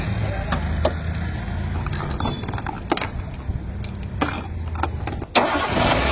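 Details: Maruti Swift with a starting problem: the starter relay had no earth, so a direct earth wire was added. Scattered clicks and cranking bursts, then the engine catches with a sudden steady rise: normal cranking and start after the repair.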